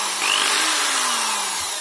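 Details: Corded Proton/Protool drill-driver running free gives a harsh, buzzy hiss with a rattling edge; owner first suspected bouncing brushes, but the rattle comes from a bearing loose in its seat.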